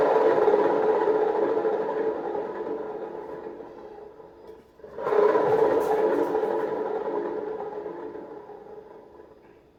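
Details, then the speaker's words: Whirlpool long-shaft top-load washer transmission spinning and coasting down: loud, rough whirring groan because water leaked past the seal and dried out the upper and lower bearings; fix is replacing the bearings. "la manera de identificar ya cuando una transmisión está dañada es porque al momento de que gira hará un fuerte ruido al momento de exprimir ya que los baleros se resecan por la humedad y el ruido es como el que les muestro"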